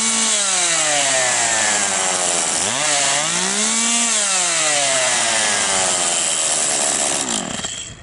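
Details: Husqvarna 142 chainsaw after replacing the oil pump plunger, tested to check chain oiling: two-stroke screams at high revs, dips and climbs back smoothly with throttle changes, then winds down; runs cleanly and steadily, chain oil now flowing normally.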